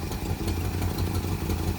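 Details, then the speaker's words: 1971 Plymouth Road Runner V8 after 35 years parked, running at full RPM: loud deep uneven clatter with irregular low thumps, sounding like one cylinder; rough running, cause not confirmed. "it's like I don't hit this tractor just running on like one cylinder full RPM"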